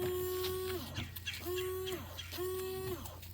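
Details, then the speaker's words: New windshield washer pump just installed, reservoir filled for testing: three short bursts of even buzzing hum, starting and stopping cleanly; pump running normally. "I can hear the pump working. It'll take a little while to get up there, I think. Yeah, it might take a while. But at least the pump was working."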